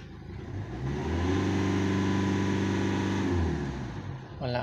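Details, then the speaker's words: 2016 Hyundai Accent CRDi diesel, low power, check engine light on, pressure sensor regulator replaced twice: revs up, then hangs flat near 3,000 rpm for about two seconds before dropping back; won't rev out, cause not confirmed. "3,000 lang talaga boss Hindi pa nga umabot Hanggang diyan lang siya"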